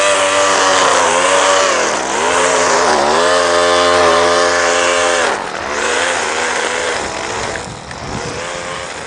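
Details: Line trimmer after hard start and stalling repair and carburetor high/low readjustment, cutting grass under load; crisp high buzz rises and falls cleanly with no bogging or stumble, running healthy.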